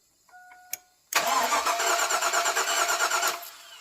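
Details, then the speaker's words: Abandoned Chevy Silverado mud-truck project that sat, first crank: catches with lumpy, uneven stumbling pulses rather than smooth idle, suggesting a misfire; owners suspect a bad injector. "Yeah. Bad injector. Here we go again."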